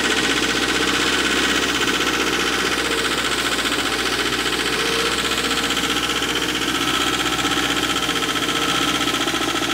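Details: Wacker Neuson ST45 skid steer with a Perkins diesel, after a clicking noise it would not shut off with the key: runs hard and flat out with a fast rattly clatter and no let-up; runaway diesel.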